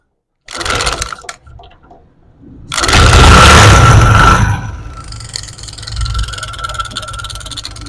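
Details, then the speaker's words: Motorcycle engine idling with a loud metallic clatter over the beat that clears when revved and returns when throttle is released; attributed to a damaged plate inside the magneto, abnormal engine noise. "ऐसे लगता है हमारा सारा engine ही खत्म है लेकिन दोस्तों आवाज़ यह छोटी सी मैं आपको बताऊंगा कैसे हम कसम करेंगे"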